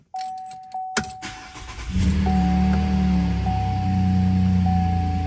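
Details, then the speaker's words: 2019 GMC Canyon LGZ V6, first start after ported intake manifold and new spark plugs, sat a couple hours, with aftermarket throttle body and tune: door chime, brief crank, catches cleanly to smooth steady idle, no warning lights. "Fired right up. No warning lights is good. Let it idle for a few minutes."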